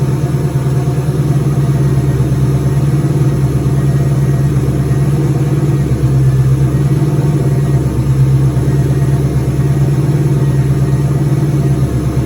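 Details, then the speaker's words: Turbo 2003 Mustang Cobra V8 first start after reassembly, intercooler cold-side pipe disconnected and return-style fuel system primed: deep, even idle with a steady low drone, no knocks, misses or surging; normal idle. "Sounds good. I'm glad to hear it run again."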